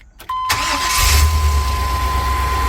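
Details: 1999 Chevy Express 3500 van after no-start diagnosis: brief crank, then the engine catches cleanly and settles into a steady idle, though described as slightly shaky before warm-up and timing check; starting fault cured.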